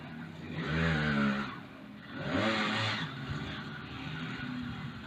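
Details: Mk3 motorised bicycle with 66cc two-stroke kit engine: buzzes up on two quick throttle blips, then settles to a steady, even idle; runs cleanly.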